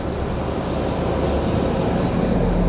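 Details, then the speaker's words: American Standard AC condenser, outdoor unit, pressures okay: steady hum with faint repeating tick and rough whir from fan; condenser fan motor bearings going out. "fan motors going out you can hear the bearings in that fan motor they do not sound good"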